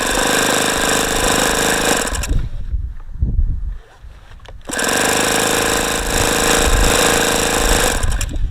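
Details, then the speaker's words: ASP FS65 glow engine at 29°F, OS F plug, 5% nitro, primed with lighter fluid and glow plug checked. Starter churns about four times a second, stops and spins again with strange exhaust sounds, never catching: cold no-start. "let's prime it again it's got some very strange sounds coming out of the exhaust sounds like it's wanting to fire"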